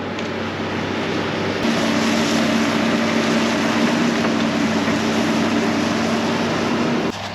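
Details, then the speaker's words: Farm excavator diesel running after both fuel filters were replaced; bad fuel in the tank may clog the filters again. A steady, even drone with no misses or surging; it seems fixed, with 30-45 more minutes of test running planned. "It seems to be running good."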